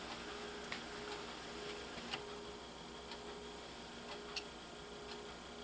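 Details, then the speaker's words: 1988 Kenwood KX-67W dual cassette deck, about 36 years old, dubbing at normal speed with tray B recording: only soft clicks at start and stop and a faint steady hum. The tape transport runs quietly and smoothly. "it when it starts when it ends it's very quiet the truth is it's very smooth this"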